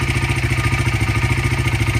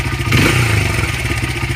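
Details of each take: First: 2015 Honda CRF80 idling during carburetor idle mixture screw adjustment, screw out two turns: idle hunts with a rhythmic lope about three and a half beats a second; mixture too rich, screw turned in half a turn. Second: Honda CRF80 after carburetor air mixture screw adjusted to about one turn out; small single putters at a steady, even idle with no hunting or stumbling, unlike the rough, missing factory emissions tune.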